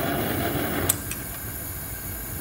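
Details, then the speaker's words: Homemade Reil-style propane forge burner from hardware-store pipe: steady hissing roar softens and drops partway as air is adjusted, flame now very reducing. "now that's very reducing"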